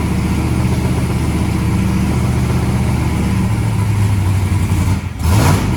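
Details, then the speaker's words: Turbo methanol hot rod engine with a 36-1 crank trigger on its first start, open pipes: steady, even idle that picks up cleanly when blipped and settles back, no misses; acceleration circuit judged on point, oil pressure at idle thought a little low. "oh it sounds good I'll give you a Facebook well the acceleration circuit is is on point here"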